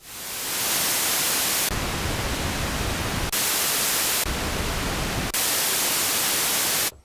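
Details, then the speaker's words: Early 1973 Minimoog (SN 2181) after restoration with pots cleaned, oscillators off: the noise source gives an even, full hiss switching cleanly between brighter and deeper shades, with no crackle or dropouts, so it works fine. "Also, our noise source works great."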